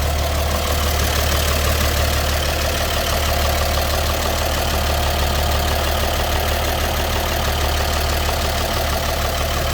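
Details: 1954 GMC 250 pickup, 248 inline six with single carb, 4-speed manual, heard at the open engine bay: steady even low idle about three beats a second, no knocks or misses; healthy.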